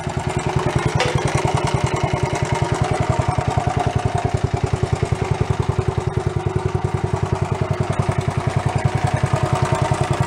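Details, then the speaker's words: Worn barn-find Honda CT70 Trail 70 after new points, valve, timing chain and camshaft work, fresh oil just added: small single putters evenly about three and a half beats a second; idle improved and steady. "that's still a little bit better though I think it's better"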